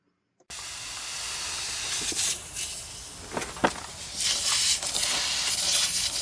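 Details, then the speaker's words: Heat pump out of refrigerant, charged with dry nitrogen: continuous high-pitched hiss of gas escaping under pressure at the rotted-out liquid line filter drier inside the condensing unit near the service valves; refrigerant leak, fixed by replacing and relocating the drier outside. "So I put a dry nitrogen charge on there to see what the story was, and I could hear the thing pissing like big time."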